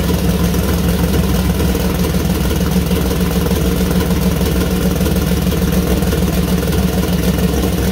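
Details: First start-up of freshly built 2000+hp LS (Dart LS Next block, 4in stroke, 4.140 bore, Brodix BR3 heads, .750 solid roller cam): deep steady V8 rumble, even firing, smooth throttle blips, no knocks or misses; healthy, minor oil and water leaks noted.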